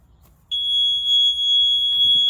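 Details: CF Moto 520 L / Segway Snarler 500 AT 5L ATV, seat sensor connector bridged with a wire, then the bridge pulled out: steady high-pitched continuous beep holds without break; parking brake reminder beep.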